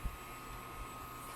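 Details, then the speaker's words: SGI O2 power supply from a WeatherSTAR XL that had shut off, after recapping: steady low fan hum with a faint constant high whine, no clicks, rattles or cycling; both lights on, restored supply running normally. "both lights are on so it is Running Oh I like that sound so we have a fully functional power supply ladies and"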